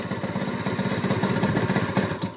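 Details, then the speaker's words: 1988 Honda Elite scooter two-stroke: slow uneven idle, beat sagging and fading as if about to stall; owner thinks idle set too low. "all right that fixed it it's wanting to die right now I've got the idle I think settle all too low"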